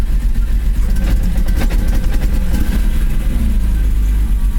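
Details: BMW E34 M5 S38B36 six-cylinder running with an uneven, stumbling exhaust beat and irregular dropouts; misfire from a worn distributor cap and rotor.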